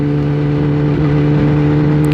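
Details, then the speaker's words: Kawasaki ZX10-R sport bike ridden again after its battery had been removed and charged, on a neighborhood lap: steady, even engine note with clean low tones and no knocks or misses; engine running smoothly and healthy. "The bike sounds amazing. I miss that sound a lot, but it's good to be back."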